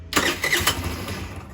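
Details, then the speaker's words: Tao Tao Baja SC50 GY6 scooter after rebuild, electric start with choke (automatic electric choke may not work): starter whir, brief ragged fading putter, then dies. Spark and fuel confirmed; fires but won't keep running. "Yep, she's starting, so we have spark. We're good with that. Now, my issue now is I can get her to fire, but she will not stay running."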